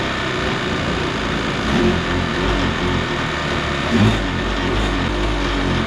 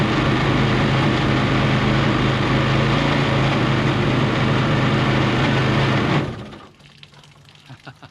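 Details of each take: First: Kawasaki 750 two-stroke jet ski engine in a mini aluminum jet boat, run with the jet pump removed: steady, even drone with no knocking; the earlier bad noise was in the pump, not the engine. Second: Mini jet boat with a Kawasaki 750 two-stroke jet ski engine, running with the pump installed: revs slowly, steady buzzing with a regular rattle about four times a second, much noisier than without the pump; cause unconfirmed.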